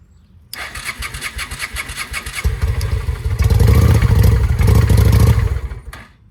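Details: 2007 Honda Shadow V-twin after a new clutch: a steady starter chug, then it catches and stumbles unevenly for a few seconds before dying. It knocked earlier and seized briefly during an oil check while running. Still bad; cause unknown.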